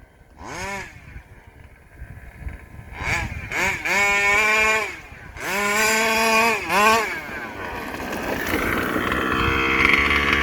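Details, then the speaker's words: Rovan 5B fifth-scale two-stroke with a new carb and 10k clutch. Blips, then idle hangs high until throttle is blipped down. Owner suspects low-end tuning rather than an air leak, but is not sure. "you see how it's idled up no maybe not i'm not doing it now"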